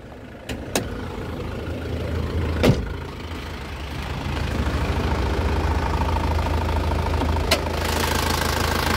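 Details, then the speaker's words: Isuzu Panther LV 2.5 diesel, first-generation capsule body, heard from the engine bay: steady, even idle clatter with low throb, no knocks or hunting, and revving still sounds very smooth; healthy idle. "Nah untuk bagian mesinnya seperti ini teman-teman suaranya kempel ya Nih kita gas suaranya masih halus banget"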